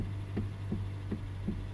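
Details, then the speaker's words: 2012 Hyundai Elantra, engine running while steering wheel turned: light regular knocks about three a second over low engine hum; steering coupler suspected as the cause. "so then what it is is gonna be the steering copper they call it let me show you how it looks okay this is the part that i think is gonna be our problem"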